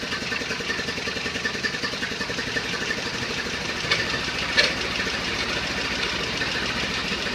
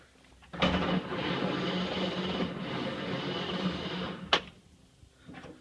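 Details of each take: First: 1931 Ford Model A, stored in a barn over 10 years unrun, started on a battery charger with a replacement 6-volt coil and adjusted timing: steady, even four-cylinder beat slowing to an evenly spaced chuff at idle; sounds healthy. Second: 1931 Ford Model A, 6-volt on charger, unstarted 10+ years in barn, carb cleaner used, crunchy points cleaned; about four seconds steady starter churning, never catches; no spark, ignition coil found failed.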